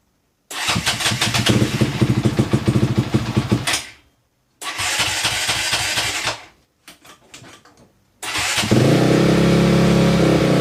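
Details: 2004 Honda CRF250X four-stroke after a top-end rebuild, started on choke with a new oil filter: short starter bursts, then a steady, even idle with no knocks or rattles; feels tight; normal running.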